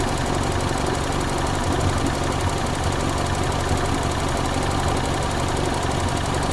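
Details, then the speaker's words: 1994 Toyota Celica, single ignition coil, intermittent weak spark on cylinder two, suspected moisture in distributor cap after coolant leak: steady low idle, even beat, no skips; that cylinder now firing normally. "There's that same cylinder now, not misfiring."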